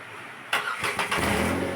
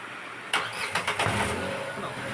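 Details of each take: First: Renault Kwid after removing the silencer and clearing stone-impact damage: engine starts and runs smoothly, no knock since the gap now clears the body; faint puffing from the silencer leak remains. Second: Renault Kwid, underbody hit a stone, silencer pushed against the body: engine catches on restart, then sharp metallic knocks as it shakes, exhaust striking the body; clatter on start-up and gear changes.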